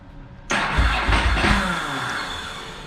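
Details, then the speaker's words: Ducati 999 after new battery install, terminals later found loose, cold engine: starter whirs with a few irregular pops; backfiring while cranking but won't catch. "it's generally how it goes got a little bit of a of a backfire action Let's Go full choke it might be trying to [Music] start"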